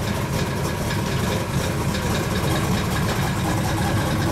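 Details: 1935 Chevy Master with newly installed 409 stroker V8, first start-up on jack stands running in the differential: deep, slightly lumpy idle with a steady even beat, no knocks or misses; oil pressure and temperature good, so the idle is normal.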